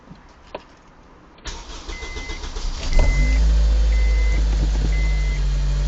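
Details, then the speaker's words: Honda Insight with K20 (Acura RSX-R) engine swap, first start of day, temp gauge on cold: brief crank, catches, settles to smooth deep idle with no ticks or rattles; normal cold start and idle. "and that's what it sounds like when it's cold it's a perfect sounding engine there's no odd clicks or rattles or anything"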